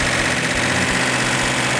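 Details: 1971 Hemi Cuda V8 after sitting 20 years, first start: loud, steady idle with an even, lumpy beat, no knocks or misses; running right.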